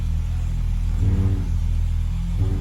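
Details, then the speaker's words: BMW E30 at idle with the steering wheel vibrating and a noise when turning: steady engine rumble with a brief low groan rising over it. A stethoscope found nothing with no load; the owner suspects a bad power steering pump under load, unconfirmed. "so i think i'm gonna be ordering a power steering pump so there you go that's what i think the diagnosis is bad power steering pump under a load"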